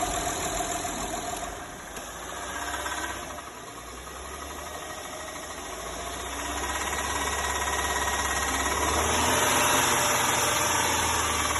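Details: Knock appears at 1500–2000 rpm: a fast, regular light knock rising with revs. Valves are adjusted and timing is fine, but the 6th lobe of the front camshaft is worn in places. Worn cam lobe.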